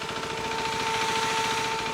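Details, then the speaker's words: Motorcycle idling after about 15 minutes until its cooling fan switches on: steady idle with an even fan whir on top, two constant tones and no knocks; normal cooling fan operation. "So as you heard that is what a cooling fan sounds like."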